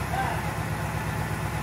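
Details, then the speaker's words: Recreation 1965 Malibu SS L79 small-block V8, started after removal and all-new seals: smooth, even idle with no ticks or clicks; sounds healthy. "that sounds really good no clickies yeah very good"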